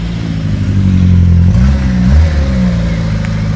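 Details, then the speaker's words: Reliant Regal Supervan 3 converted back from electric to petrol, first cold run on choke: steady low thrumming idle that rises and settles, no knocks or misses; carburettor setting not quite right yet. "sounds really nice i like the way that he's all stands they're ticking over on his own i've got a choke gotta have a bit of choke at the moment so the carburetor setting is obviously not quite right"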